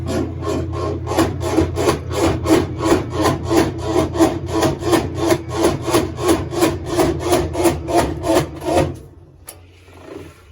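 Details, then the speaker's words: Kenmore 90 series washing machine during spin: loud rhythmic rasping grind about three strokes a second over a low motor hum, caused by a worn, damaged transmission bar. "Esta lavadora nos trajo el cliente porque dice que cuando la lavadora está exprimiendo hace un ruido muy fuerte."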